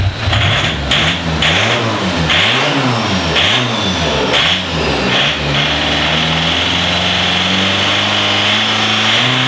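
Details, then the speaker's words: Diesel in a DervBus project after initial timing setup, warm, extractor on; several quick rising and falling blips, then a steady even drone holding a clean idle — normal running. "I've got the extractor on obviously so I have had it running a minute ago so it's all up to temperature"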